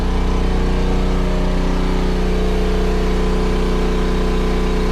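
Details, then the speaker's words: Backup generator running a battery charger in full charge mode, bank at about 26.5–26.7 V, expected to rev up slightly as load drops at 28.2 V float: steady even engine drone with firm low hum, no misses or surging; normal running under load. "Once it gets to 28.2, you'll hear the load decrease on the generator, and it'll rev up a little bit, but it'll switch over into float mode."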